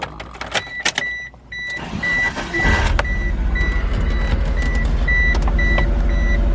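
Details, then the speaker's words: 1999 Mitsubishi Eclipse GSX idles unevenly with a stumbling beat under a warning chime after starting high then settling to 1,000 rpm; misfire, nearly clean plug, suspected internal engine issue. "Well, no, but I mean, that's normal. But you can hear it misfiring."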